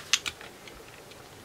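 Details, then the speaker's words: Sony Air 7 receiver that receives nothing: faint irregular ticks from the working speaker as the scan steps through channels after two sharp clicks; it passes a present 76 MHz signal without stopping. Scan does not stop on signal. "the speaker is working and I can hear it ticking as it's scrolling through so I've got a 76 MHz signal so it should stop a 76 MHz when it gets there cuz there is a signal there"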